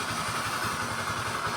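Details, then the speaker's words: Honda Vario 110 LED scooter at idle: steady droning hum over the firing beat, not rough or knocking; removing the CVT made no change, so the cause is worn crankshaft bearings. "Ini motornya ini suaranya nggak kasar tapi dengung seperti ini. Nah, suaranya dengung seperti itu."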